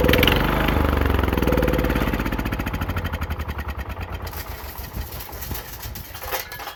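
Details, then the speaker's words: Engine of a newly acquired John Deere 216 lawn tractor running on old gas with water and rust in the tank and fuel system; small single thumps unevenly, slows, wavers and sputters, starved on contaminated fuel. "All that garbage was in the bottom. That's all water that was in the bottom of this fuel tank and in the fuel system."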